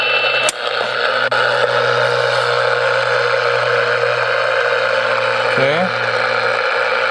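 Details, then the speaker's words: Small portable AM radio picking up household line noise before the main breaker is switched off: steady low buzz with a raspy hiss held constant. "alright you can hear the line noise on this little portable AM radio I'm about to flip the main breaker off here at the house see if it changes"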